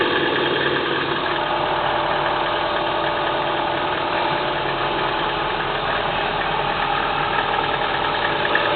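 Rapid light ticking knock riding over a steady idle, about four a second; a cold-engine knock, cause not pinned down. Cause suspected, not confirmed.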